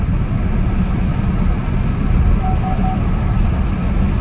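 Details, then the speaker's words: 2017 Chevy Impala Premier test drive after a transmission replacement, accelerating to about 55–60 mph; engine and road drone builds smoothly with no flare or clunk; the automatic is shifting normally. "all right y'all we accelerating might have brought about 55 60 it seemed like it shifted like it's supposed to pretty good"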